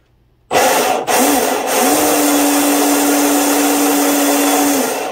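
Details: Delta Force 35 RC monohull boat after new 1/4-inch stuffing tube, greased 3/16 (.187) flex shaft and stinger install: motor spins up quickly to a steady even whine without rattle or grinding, no heat afterwards; normal flex shaft run.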